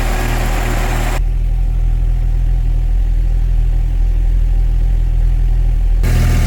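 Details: 1997 Mercedes SLK230 (R170) M111 supercharged engine after the fuel pump repair, running after weeks of no-start: smooth steady low idle with an even beat, no misses or stumbles; healthy.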